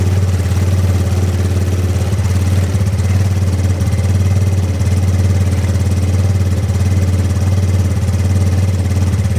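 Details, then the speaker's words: Ego LC 125 scooter started after DIY service, morning cold start: small single idles with an even, steady low putter, slightly noisy but no knocks or rattles; healthy. "Pagi-pagi dia bising sikit."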